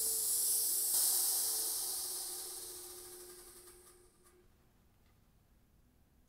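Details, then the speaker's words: New Polar Air Industrial Plus 7.5 HP quiet air compressor (Eaton) just shut off: steady high airy hiss slowly fading as pressure bleeds off; air leaking through a hole in the tank from the factory. "leak now. Ha! It's actually from the factory I have a leak. So I actually hear it over here somewhere."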